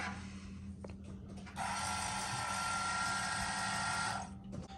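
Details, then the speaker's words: 2017 Ram 2500 Cummins G56, 105,000 miles, newly installed AirDog lift pump with 1/2-inch fuel line, key cycled to prime before cranking: steady electric pump hum and even buzz for a few seconds, then cuts off: normal priming cycle. "Just cycle your key a couple times and get it to prime itself."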